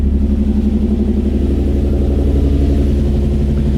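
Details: Nissan 350Z with a P0300 code, idling in neutral after coolant bleeding: a steady low beat with a regular stumble about three times a second, indicating a misfire that is still not fixed. Cause unknown; compression suspected.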